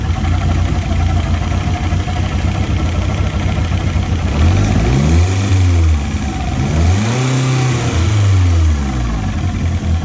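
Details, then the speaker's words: Fiat Punto GT Turbo not started in over 12 months, idling with a chopping noise: revs swell and dip as carb cleaner is sprayed near the intake manifold, revealing an air leak there; gaskets likely need replacing. "so i'm going to know a bit of carb cleaner just to see if there's an air leak anywhere yeah so we've got an air leak on the intake manifold somewhere"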